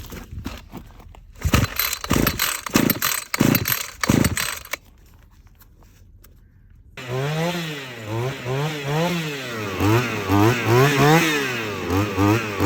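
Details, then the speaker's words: Shindaiwa T270/C270/PB270 two-stroke trimmer after carburetor replacement and priming bulb: a few sputtering pull-start tries on choke, then catches and revs up and down cleanly with a crisp buzz; running healthy after needing extra priming. "well she lives again ended up just having to prime it a few more times"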